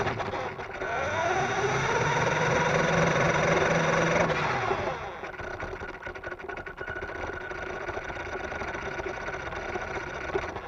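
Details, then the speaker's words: Blue Mini Cooper S toy converted to hobby-grade RC, ESC rated 2S run on 3S, bodywork removed as it amplified the noise: whining motor rising in pitch with rapid regular knock, 3–4 per second, while driving; cause untraced, foam at suspension didn't help, possible flat-spotted front tire. "it still makes the knocking noise i will just run it without the bodywork on it because the the bodywork seems to amplify the noise"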